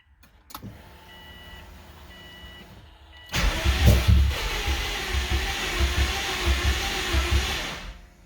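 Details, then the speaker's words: 2003 Subaru WRX rally build, first start after timing work, in neutral with clutch in: loud fuel pump hums, engine catches and idles with uneven stumbling low thumps, misfiring, dies after a few seconds; owner suspects possible compression issue. "That didn't sound good. Idling anyway. It ain't happy. It's misfiring. And it died."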